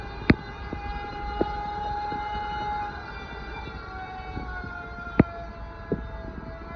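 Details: Toilet refilling: a loud, steady, wailing whistle near one pitch with occasional clicks, likened to a fire engine, vacuum cleaner or sander. A siren-like whistle during refill.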